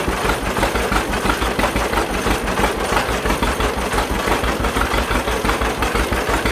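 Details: 1931 John Deere GP two-cylinder tractor after its carburetor was repaired: a slow, steady pop-pop at about three beats a second with an even rhythm; the old twin idles properly and smokes a little.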